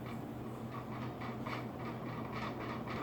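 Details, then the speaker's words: Vintage Southern Fan Co Tara ceiling fan on high speed: fast uneven clacking rattle about four per second over the hum; owner suspects loose blade irons, unconfirmed. "that the blade irons rattling? That's what it sounds like."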